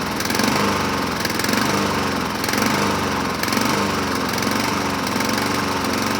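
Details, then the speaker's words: 2007 Honda HRR2162SDA Quadra Cut mower after fixing stuck-open intake valve, started on choke: speed rises and falls roughly once a second; surging, owner may clean carburetor again after water found in fuel tank. "so we're not at a hundred percent we're at 80 percent it started we got surging so I got to go back into this thing and look around some more maybe clean the carburetor a second time"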